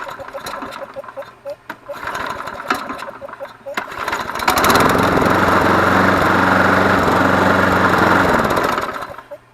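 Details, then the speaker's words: Yard Machines (MTD) 20-inch mower, Briggs & Stratton 6.75 Series EX 190cc, blade bent after striking an object: pull-starts after a few tugs, runs at a high drone with coarse vibration despite a used balanced blade; cord kickback, sheared flywheel keyway suspected. "It's still vibrating. We put a used blade on it that seemed to be in balance, and then every once in a while when you pull it, it'll pull the cord back out of your hand like the keyway's broken."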